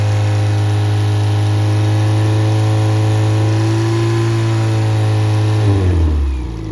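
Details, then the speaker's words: Rebuilt Triumph Spitfire/MG Midget 1500 performance engine (flat-top pistons, 270 cam) on run test: steady even four-cylinder run, smooth deep tone, no knocks or misses before winding down; oil pressure 60-65, compression 195-202; healthy. "All right, so as you can see, it runs well, has good oil pressure, and the compression is very good."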